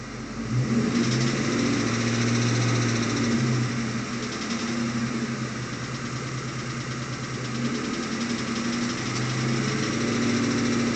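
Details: 2001 Ford Mustang GT V8 recorded inside the cabin: dull, fairly regular knock about three a second, seemingly only above 1000 rpm, no power loss; timing chain and tensioner replacement didn't fix it; rod knock, cured by replacing the short block.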